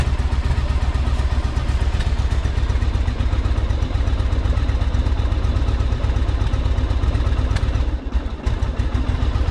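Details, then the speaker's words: 1984 Yamaha Virago 1000 V-twin idling after carb flooding fix and refitting cleaned fuel tanks, no fuel leaks; deep lumpy beat at about four even pulses a second, no misses; sounds good, though owner notes a little backfire. "It sounds good, too. It's got a little bit of a backfire to it, though."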